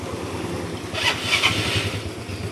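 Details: Used hand-started Yamaha Mio Smile 2010 scooter: starter whirrs briefly, engine catches within a second and settles into an even, steady beat; a clean, healthy start.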